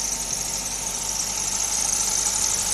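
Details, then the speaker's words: Maruti Suzuki idling after a morning start on a rainy day: steady piercing high-pitched squeal from a damp drive belt slipping on pulleys; spraying WD-40 on the belt silenced it. "Like once you start the vehicle in the morning like on a rainy day, yeah? So, this sound actually comes from here."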